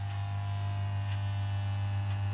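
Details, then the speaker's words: Pye G73 valve radiogram on a mocked-up supply drawing about 3 A, run on DC: a constant low hum with a buzzy edge persists and the set sounds unhappy; owner suspects the speaker field is connected the wrong way round. "It's still humming, but this isn't too happy."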